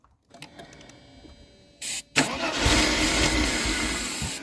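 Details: Mercedes-Benz 190E (W201), sat in a field unstarted since 2008, cranked with starting fluid: the starter spins the engine with a rough, uneven churn and sputter, but it never catches. Cranks but no start.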